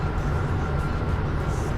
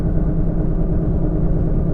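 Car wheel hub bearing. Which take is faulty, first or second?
second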